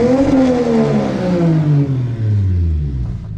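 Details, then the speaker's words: Lexus GS300 2JZ-GE with turbo internals, different computer fitted: rev winding down smoothly toward idle, pitch falling steadily, quiet exhaust loud only on throttle, no knocks or rattles; healthy. "so let me go ahead and show you guys I mean it's pretty quiet the exhaust surprisingly it's not that loud only when you hit the gas it's loud"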